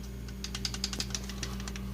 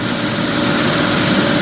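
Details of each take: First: 1997 Mitsubishi Mirage 1.8L 4G93 with mechanical adjustable valve lash, before adjustment: light, sharp ticking in quick, uneven clusters over a low engine hum, worst on takeoff; loose rockers with too much valve clearance. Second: 1997 Mitsubishi Mirage LS coupe 1.8 L 4G93, after adjusting the mechanical valve lash to cure valve noise: steady, even idle hum with no top-end ticking or tapping; engine sounds normal.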